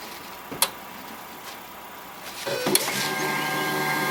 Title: HP LaserJet 1022 squeaking sound